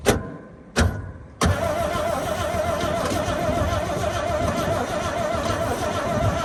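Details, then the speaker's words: Abandoned 1962 International Harvester B-series farm truck, long-sitting, gas poured down the carburetor throat: two short cranking bursts then a longer steady crank with whirring starter tone; tries but never really fires, seemed to almost catch a couple times. "but uh still it should it should be dirty from sitting so long to say for sure but no fires oh yeah it sounded like it wanted to catch there a couple times"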